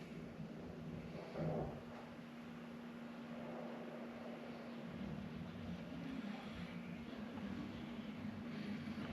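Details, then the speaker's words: 2016 Ford F250 after fuel filter replacement, key cycled to prime. A faint, steady low hum holds evenly for several seconds under room noise: the electric fuel pump is running normally to prime the system. "I don't know if you can hear it, but you hear the pump running. So, it's going to start getting all the fuel move back up."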